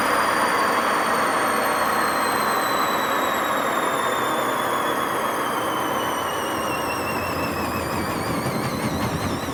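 Loud steady roar with a rising whine through the spin, far rougher than a healthy drum; worn drum bearings.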